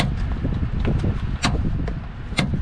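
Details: New replacement door latch assembly for the passenger side of a 2018 Nissan Murano, worked back and forth by hand; the old latch's lock mechanism didn't travel fully. A few light, crisp, even clicks with no dragging or catching: normal operation.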